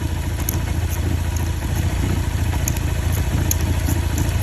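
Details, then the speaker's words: Motorcycle engine that had a loud noise caused by the cam chain tensioner, after replacing the cam chain: steady, even low idle with a light regular tick and no rattle or clatter; engine running healthy. "Troquei corrente de comando. Trabalhando direitinho. Esquece. Vai rodar mais 10 anos."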